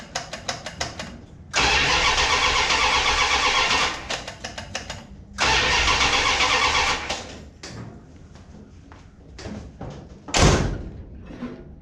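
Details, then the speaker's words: Mopar Ramcharger after ignition upgrade, 7mm plug wires, distributor reinstalled, timing unset: starter cranks in uneven bursts, catches briefly, dies, catches again; slow to fire, owner suspects lack of fuel. "Maybe it needs fuel. Already sounds better. That should have got us fuel."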